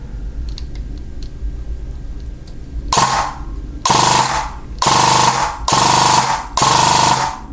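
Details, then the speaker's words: E&L AK12 AEG rebuilt with Arcturus parts, full auto on an 11.1 V PEC box battery: five quick bursts, each a fast, even, zippy buzz about a second long, crisp start and stop; gearbox running healthy. "full auto is just Zippy that is fantastic"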